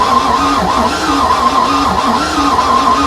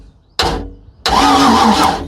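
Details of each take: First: Free project boat engine with rust found inside, cranking after the oil pressure sending unit was swapped: the starter grinds with an uneven, loping beat of about 47 slow pulses a minute and never catches. The owner attributes the loping to compression issues; oil pressure is building. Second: Boat, after a loose wire was found: two short cranking bursts with crackling spark snaps over the starter whir; great spark present, engine turning over, before water and fuel hooked up.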